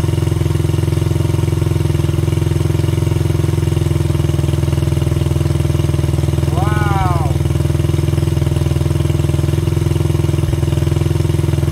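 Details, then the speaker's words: 1985 Honda XR80R that had not run for a long time, first start after a squirt of fuel, with a stripped spark plug thread in the head: low, even single-cylinder idle with a brief squeak, no misses. "wow woo will it run yes it will"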